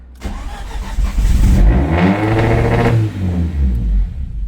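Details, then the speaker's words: Audi A4 B7 big-turbo build, just-installed and calibrated drive-by-wire throttle body: cranks, catches, revs surge high and hang before settling; owner suspects throttle body opened too much, checking for vacuum leak; runaway flare on start. "Yeah, I believe what's happening there is that the total drive-by well, yeah, the drive-by-wire for total body, it's open too much, and I believe that's why it sounds like it wants to run away."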